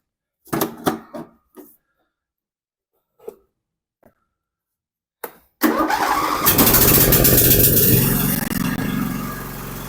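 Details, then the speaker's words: Husqvarna YTH2454 mower, 24 hp 44 cu in twin-cylinder Briggs & Stratton, after repairing valves that left it running on one cylinder: quiet clicks, then fires and runs evenly on both cylinders; runs like new. "well there you go it runs like new again"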